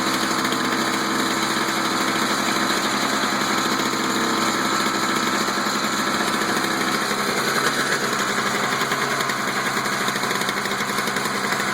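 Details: Toro two-stroke snow blower just after a spark plug change, started with choke out after priming: steady, even two-stroke buzz with a bright rasp on top, no misses or surging; runs smoothly, normal running.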